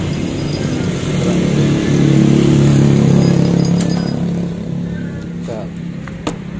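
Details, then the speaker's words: Yamaha Mio J / Soul GT injected scooter that won't start (code 42, speed sensor): at key-on with fuel pump area opened, a low steady hum swells for a couple of seconds then fades, the fuel pump priming normally. "nanti ketika kontak kita on kemudian ada bunyi seperti cecak tapi ada dengungan seperti dengungan semburan bensin ya"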